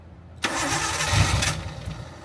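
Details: RB-swapped Nissan 240SX with no mass air flow sensor, spark present while the cam angle sensor is checked: starter spins the engine about a second and fades without catching; cranks but won't start.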